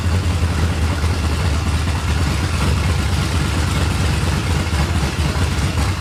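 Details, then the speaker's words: 1989 Ford F-150, just after setting base timing to 15 degrees, drive belt very light: uneven, lumpy, loping idle with irregular pulses; owner suspects a dead cylinder, cause not yet found. "all right I don't know why it's running like it's got a hog ass cam it sounds like we got a dead cylinder or something we got to figure out yet"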